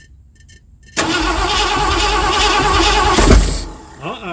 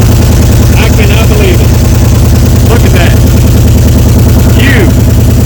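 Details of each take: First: 1979 Ford F-100 that sat for years, extra gas poured in carburetor: steady starter churn, one lone pop near the end showing it has spark, then quits; cranks with weak firing, no start. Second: 1979 Ford F-100 sat for years, started on a little gasoline poured into carb bowls: steady even low idle with regular beat, then stumbles and shuts off as fuel runs out; otherwise normal running.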